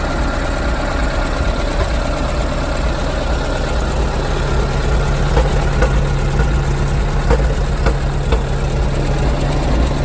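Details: 1967 Porsche 912 with air-cooled 1976 912E 2.0-litre Type 4 flat-four idling with a deep, uneven burble and faint puffing ticks from an exhaust leak; pops when slowing down.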